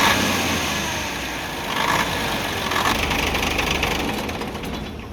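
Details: UD CK450 truck, Nissan PF6 six-cylinder diesel that suddenly began misfiring, losing power and stalling under load: idle with an uneven, stumbling beat and a repeating missed firing pulse; injection pump plunger No. 5 delivers no diesel, one cylinder dead.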